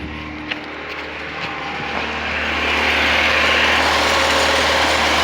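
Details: Carbureted VAZ-2109 that cranked but would not start unless fuel was hand-pumped, now starting after the fix: steady fast beat, revs climbing smoothly without misfire; normal running.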